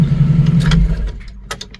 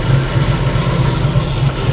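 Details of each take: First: 1990 Jeep YJ 4.2L 5-speed that wouldn't start from the key without a jumper: cranks briefly, catches and settles into a low steady idle that fades off, starting by itself this time; owner still suspects ignition switch/key, cause unconfirmed. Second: 1990 Jeep YJ 4.2L 5-speed, key in run after pumping the accelerator: low, even idle rumble holding steady without stumbling or misses, engine running on its own, so the no-start is narrowed to the ignition switch itself.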